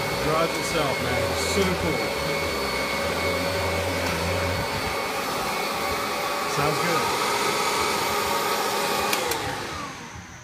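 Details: Yard-sale Kirby Gen 3 upright vacuum, which had quit sucking because its belt was fitted wrong, running after the belt fix: steady even motor roar with constant whirring pitch, no squeal, knock or slipping; runs normally.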